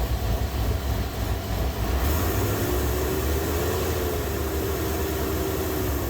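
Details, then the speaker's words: 2000 Chevy Tahoe Vortec 350 after fixing no-start caused by corrosion inside distributor cap: engine catches and settles into steady, even idle with smooth low rumble, no misfire or stumble. "so there we go he's running it's something just as dumb as a little bit of corrosion inside the distributor cap"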